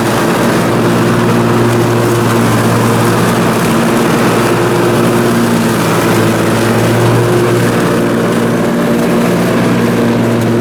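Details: Briggs & Stratton Intek M44 twin on a mower, first run after total carburetor tear-down and clean: fired up and sounds way better, steady smooth low drone under load with no hunting or surging; normal running.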